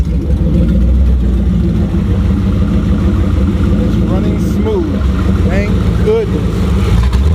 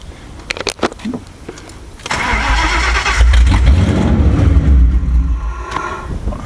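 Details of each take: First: Ford Crown Victoria 4.6 DOHC with low compression, on new injectors, plug wires, coils and plugs and a suspect ECU. A deep V8 idles and revs with a ragged, uneven beat; one cylinder is dead from a disconnected spark plug wire. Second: Ford Crown Victoria 4.6 DOHC with low compression, after replacing IAC, TPS, plug wires, plugs, coil packs, starting on new ECU: brief cranking, then smooth, even idle; normal start and run.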